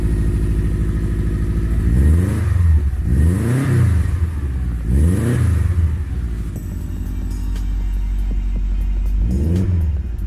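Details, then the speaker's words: Subaru STI on a high-horsepower tune with misfire detection disabled, after new aftermarket coils were fitted on one side only: flat-four idles steadily with a couple of short blips and no missing beat; misfire gone, though the owner still plans to replace the other side's coils. "It's not missing anymore."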